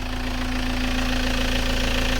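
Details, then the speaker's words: Vauxhall/Opel Vectra B after sitting a long time: an even, steady idle with a smooth low pulse and no knocks, misses or surging, so the engine is running fine, though a gearbox noise remains. "say there think we can safely saying that it's running fine"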